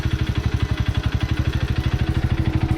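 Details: Childhood two-stroke moped after a new throttle cable: even, steady putter at about ten beats a second with no surging or hunting; normal idle.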